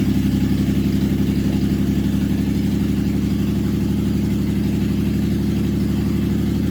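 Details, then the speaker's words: 1976 Jaguar XJ12 with a replacement V12 installed after sitting engineless for decades, first runs as fuel pressure slowly builds: even, smooth idle with a steady low burble, no knocks or misses, running about 10 seconds; normal running. "our pressure is slowly coming up here it's running a little bit longer so that is working we're running for about 10 seconds"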